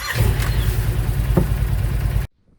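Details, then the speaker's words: Wolverine X2/X4 850 side-by-side, cold start in snowy northern Michigan at 2200 miles on NGK plugs: engine fires, runs roughly about two seconds, then cuts out abruptly. Known cold-start stall needing a second start; cause unclear. "here's a quick video showing what happens stall number one and then start right here"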